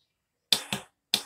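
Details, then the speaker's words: Scooter that won't start: relay clicks heard as two sharp double clicks about half a second apart, fuel injection primes, but the starter never turns the engine; owner blames the garage's wiring, notes a positive wire touching metal; cause unconfirmed. "vous entendez le clic là? Donc ça c'est le relais de démarreur. Donc déjà c'est qui marche quoi."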